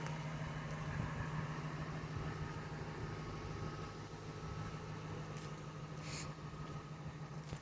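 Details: Nearly 25-year-old truck bought late 1996, 250,003 miles, transmission replaced at 200,000, factory serpentine belt replaced November 2019: quiet, steady low hum with an even beat and no ticking or knocking; a high-mileage engine idling normally.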